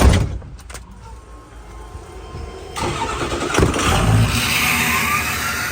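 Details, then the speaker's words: Freshly built 6.0L Power Stroke diesel in an old burnout truck, just started: a rough, uneven start that catches and smooths into a steadier idle as air is purged from the fuel system, then runs properly. "starting to start a little better it's idling better get all the air out the fuel system"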